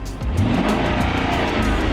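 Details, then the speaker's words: Land Rover LR3 V8 started for a buyer's inspection, listened to from outside while revved: strong rise held smoothly, no clinking, clattering or bearing noises; engine healthy. "this one's healthy"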